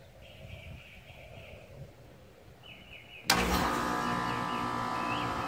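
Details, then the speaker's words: Home central AC outdoor unit, before fitting a 5-2-1 hard start capacitor: quiet, then a thump as the condenser and compressor kick in and settle into a steady, even hum; normal clean start. "i wanted to show you what the air conditioning sounds like before we add the uh the hard start capacitor so i'm going to go ahead and start the air conditioning"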